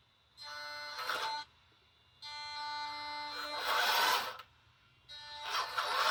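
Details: Brand-new Taigen Premium V3 gearbox in an RC tank: three short runs of a steady, reedy electric buzz, each ending in a rougher gear rasp; the cause is unknown, and the owner hopes it is not a motherboard or wiring issue.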